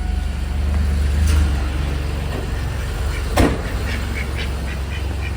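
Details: 2000 Chevrolet Camaro V8 after exhaust leak repair: steady, even low idle rumble without loud exhaust ticking or puffing; owner thinks some leak may still remain elsewhere.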